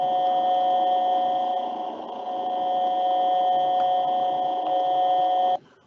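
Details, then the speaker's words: Motor running at 1800 rpm (30 Hz): steady high-pitched tone whose volume swells and sags about once a second. The beating comes from close frequencies adding in and out of phase, not from shaft speed. "so from from a sound perspective you're going to receive it like a modulation or a variation in volume or amplitude"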